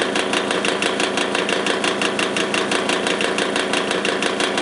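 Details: Old Magnetek electric fan motor with badly worn bearings: steady motor hum with a fast regular rattling tick, nearly three per second, and harsh chatter throughout.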